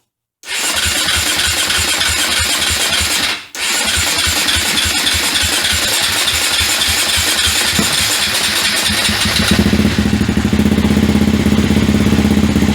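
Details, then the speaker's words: KTM 450 on first start after over 10 years unused, new spark plug and fresh fuel: single fires and chugs unevenly, nearly dies around three seconds, then stumbles on and revs raggedly; rough running after long storage, cause not confirmed. "well there's your first startup needs to run a little while maybe get smoothed out"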